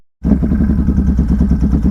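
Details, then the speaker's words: 2021 Can-Am Renegade 1000 XMR in diff lock in knee-deep mud, rough lumpy note with uneven pulses and stumbles under load; owner suspects the new spark plug boot, may order whole cable assembly; unconfirmed misfire. "yeah I don't know it might be no that's definitely a spark plug [Music] boot"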